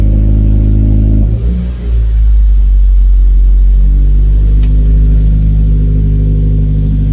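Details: 2017 Subaru WRX just after a Deatsch Werks DW300c fuel pump install: engine already running smoothly, dips briefly with a throttle blip, then settles to an even, steady note. Healthy.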